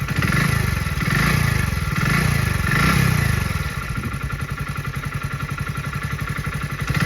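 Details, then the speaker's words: Small motorcycle engine hot after 20–30 km of riding: three blips, then a steady, slightly clattery idle; the changed sound is from engine heat and thinned 10W-30 oil, and is harmless. "तो आपको बता दिया कि यह आवाज जो आ रही है गाइ वह सिर्फ सिर्फ इंजन ऑयल पतला होने की वजह से इंजन गर्म होने की वजह से इंजन जब गर्म हो जाता है तो इंजन और पतला हो जाता है तो इससे आवाज में थोड़ी बहुत चेंजिंग आ जाती है"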